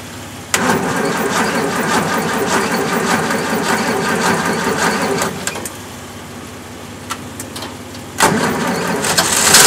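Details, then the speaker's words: 1965 Jeep CJ5 just fitted with XF Falcon electronic ignition, started bone cold on a jump from another car; it catches, runs unevenly about five seconds, cuts out, fires again; hard starting, flooding, owner suspects fuel supply/carburetor issues. "hey it's bit funny at the moment because it floods so I don't really know but once it gets going is not too bad"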